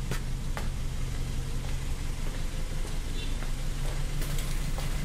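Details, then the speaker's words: Hyundai Tucson 2012 2.0 DOHC four-cylinder automatic, 93,000 km, at idle: noisy, uneven idle with a low, lumpy pulse that stumbles; one cylinder misfiring, injector or spark plug to be checked. "é tão barulhento diferente é um 4 cilindros 2.0 eu HC duplo comando de válvulas é que tá falhando um cilindro dá para ver no no no bater do motor"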